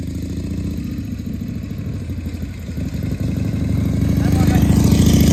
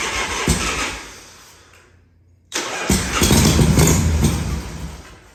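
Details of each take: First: 1978 Harley-Davidson Shovelhead FXS Lowrider after cleaning the carburetor's accelerator pump and fine-tuning the carb, test ride in 1st–2nd gear: steady loping V-twin beat picking up smoothly as it pulls away, no misses; running pretty good. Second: 1978 Harley Shovelhead FXS Lowrider, first start after long storage, tanks cleaned, petcock rebuilt, not the right battery; on starter fluid it cranks, fires briefly and dies, catches again briefly; fuel not getting through.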